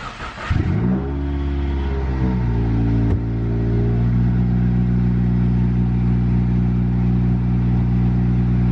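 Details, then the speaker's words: 2016 Subaru WRX after DeatschWerks DW300C fuel pump install, pump primed over several key cycles: engine catches quickly, flares, then settles into a smooth, steady low idle with no misses; normal start and idle. "Alright, and then you should be straight to turn the car on."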